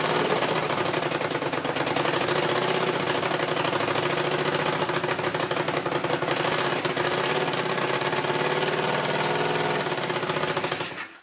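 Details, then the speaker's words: Honda CX500 twin started on choke with possibly fouled plugs: dense, uneven, lumpy running that won't hold with choke off; exhaust leaks noted, plugs to be cleaned, cause not confirmed. "It does not want to run with the choke off. All right. So, it will run."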